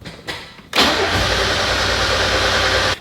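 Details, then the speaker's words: Mazda Miata that sputtered, lost power with check engine light and died uphill: starter cranks steadily but engine won't fire; owner suspects fuel pump. "so if we do try cranking it this is what the car will do it'll just crank and crank and crank but it won't actually turn on"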